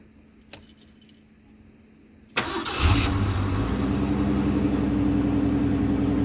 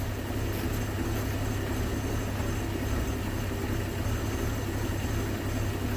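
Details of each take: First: 1981 Ford Mustang, 200 inline-six, carburetor after T5 manual swap and bracket adjustment; cold start should fast-idle around 2,000 RPM. Cranks briefly, catches, settles into slowish even idle with no speed-up; cold fast idle set too low, needs raising. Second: 1981 Ford Mustang, 200 inline-six, carburetor after T5 manual swap; cold idle screw turned in from about 650 RPM, vacuum leaks fixed. Low steady idle rumble, even beat, no stumbling or hunting; proper cold fast idle, not yet warmed up.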